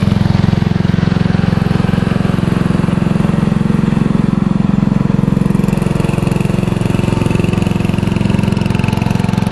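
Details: Free riding lawnmower, a little dusty, obtained from someone's property, started up to ride around in a circle: steady, even single-cylinder thump at constant speed with no misses, knocks or rattles; normal running.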